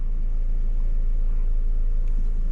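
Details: 2001–05 Civic EM2 D17 right after a valve adjustment, not yet warmed up, with blown motor mounts causing vibration: a steady low rumble with an even beat. It idles cleanly with no misfire.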